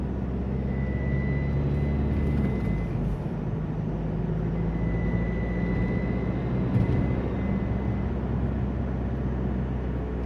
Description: Alfa Romeo 147 strange whistling sound when acceleration very slowly.